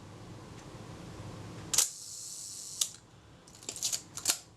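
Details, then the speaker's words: Kodak Retina Reflex type 025 during a service, top cover held on, shutter release pressed slowly. Crisp clicks as the film release trips just before the shutter, almost together, as it should: normal shutter release timing. "it seems to me they're going it very much the same point that's just ideal and it's not normally the case ha that was the film release so the film release fired before the shudder"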